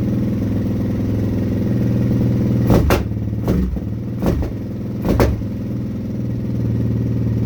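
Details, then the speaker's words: Suzuki LTZ400 quad first start in over a year, cold on choke, carburetor: rough single-cylinder idle broken by sharp pops; on throttle it backfires and wants to die, owner hopes warming up cures it; backfiring under throttle. "try to give it throttle it just dies wants to die backfires"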